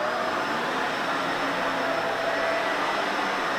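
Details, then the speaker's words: Shark Navigator vacuum after replacing the dirty filters that caused loss of suction and a high-pitch sucking noise: smooth, constant airy roar at maximum suction, no whistle or surging, healthy motor. "okay now that everything's back together let's give it a quick test let's listen for the maximum suction"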